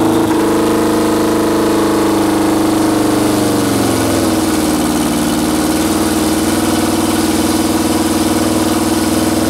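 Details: 1973 VW Super Beetle with swapped Subaru turbo engine (EJ255 short block, naturally aspirated heads) after air temperature sensor reconnected: blips up, drops to smooth steady idle, even hum, no knocks, smoky exhaust; alternator charging about 14.5 volts, running properly.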